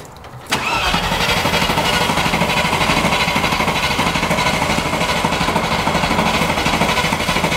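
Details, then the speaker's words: 1990s Range Rover Classic V8, first start attempt after seven years, fresh oil, filters and spark plugs: steady starter cranking about three beats a second, never fires; good spark, fault traced to a failed fuel sender, later replaced. "so after that unsuccessful first attempt to start in this Range Rover we've come to the conclusion that the fuel sender is knackered"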